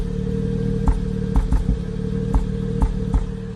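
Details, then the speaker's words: Acura TL engine at idle as check engine light came on: steady idle broken by uneven thumps and stumbles, about seven in four seconds; scan tool live data shows cylinder 4 misfire. "got it plugged into this game tool live data we got a misfire slender four so that's what's happening"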